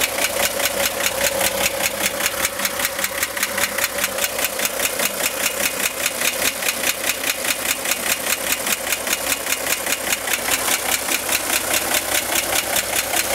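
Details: 1965 Corvair air-cooled engine at idle: sharp, steady ticking about two to three per second, apparently from the top of the engine near the fan; began 2–3 weeks ago and is getting louder; tightening the fan belt reduced it only slightly; cause unconfirmed.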